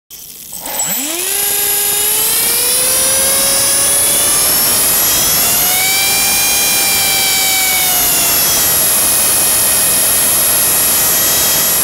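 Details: Blade 300 X helicopter in Idle Up: high whine spools up and wavers in pitch, with uneven surges, twitches and loud noise once up to speed; abnormal, cause unknown.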